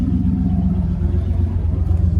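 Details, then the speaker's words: 1988 Chevrolet Camaro IROC-Z V8 with 5-speed at a Copart auction, with good oil pressure. A rev blip gives a deep, loud, coarse, raspy, unmuffled rumble. Owner thinks it's mostly missing exhaust, not yet checked. "Yeah, okay, that just sounds like more lack of exhaust than anything, but we gotta check it out, don't we?"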